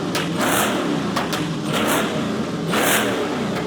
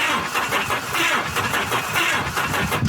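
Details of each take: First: Supercharged LS-powered kit-car replica Lamborghini Diablo, running again after sitting a couple of years: strong clean revs rising and falling smoothly, no knocks or misses; healthy engine. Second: Truck cranking slowly, unevenly, about one beat a second, never catching; no spark, battery seems very weak or engine has high compression.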